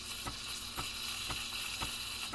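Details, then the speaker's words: Breville Barista Express steam wand milk steaming: bright steady hiss with soft ticks about twice a second, wand tip at the milk surface aerating properly. "but you really want there we go you hear that like sort of hissing sound"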